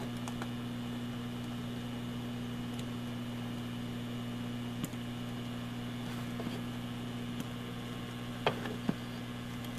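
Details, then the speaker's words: Cheap universal laptop adapter, speakers at full volume: steady low hum with a faint high whine and stray clicks. It quiets at 12 V; the owner suspects a noisy voltage selector switch. "See, now that's cranked up and it's pretty noisy. But that's right full blast. I can still hear it there though."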